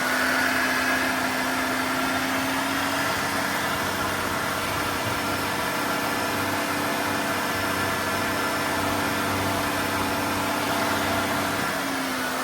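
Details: GM 3.8 liter (3800) engine after new water pump, engine speed raised to purge air from coolant, temperature normal: steady, even hum at fast idle with no misses, knocks or squeals; sounds healthy.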